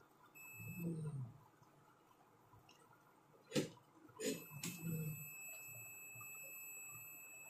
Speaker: इसमें बीप की आवाज़ आने लगी। तो ये IGBT खराब हो चुका है।